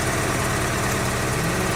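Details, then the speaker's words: 2004 Daewoo Lanos with rough running; ignition coil measured 47 ohms and judged good. Pulling the cylinder 4 lead changes nothing, so cylinder 4 is dead, and cylinder 1 is also dead; plugs read 1.5 versus 2–7 spec, faulty. Rough, lumpy idle. "Перевіряємо четвертий циліндр, чи він працює. Просто виймаємо. І нічого в нас не міняється."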